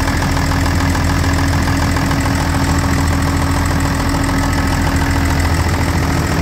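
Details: John Deere 544D loader diesel idling after an oil change with 5 gallons of oil including filters: steady even idle with a deep regular chug, no knocks or misses, no leaks; normal idle.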